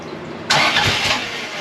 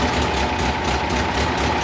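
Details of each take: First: 1982 Fiat 124 Spider with a twice-rebuilt, fuel-injected engine (35–40 psi), first start attempts after setting timing and valve shims: cranking gives one sharp cough, nearly catches, then dies. Ignition timing close but slightly off. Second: 1982 Fiat 124 Spider with a twice-rebuilt engine and newly installed exhaust, running after small timing tweaks: a steady, even twin-cam note with no knocks, misses or surges. Normal running.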